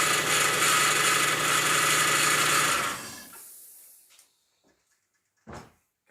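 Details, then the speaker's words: Lexus LS400 first start after transmission fluid drain, power steering flush and new power steering pump: steady high whine over the engine for about three seconds before shutdown; power steering pump running dry, foam in reservoir. "I can hear the power steering pump because it's running dry."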